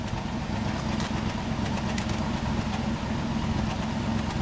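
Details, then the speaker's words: 1964 Buick LeSabre Estate Wagon, 425 CI Nailhead V8 with single exhaust, revved lightly: even, low idle burble with a soft, regular exhaust pulse, no ticks or knocks, pretty quiet and smooth. "go ahead give it a rev pretty smooth pretty quiet and smooth"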